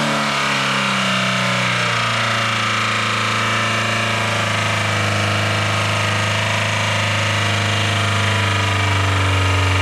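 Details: Dodge Caravan engine running on water instead of oil at full throttle: harsh, strained, with rough knocking and wavering pitch. It ran about 30 seconds before dying, and the owner says it sounded locked up.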